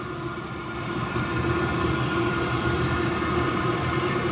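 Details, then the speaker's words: 8K diesel air heater on its first run in a temporary test setup: steady, even roar builds over the first second then holds, blower at full output sounding like a rocket; normal full-power operation. "jesus has really blowing some air starting to sound like a freaking rocket"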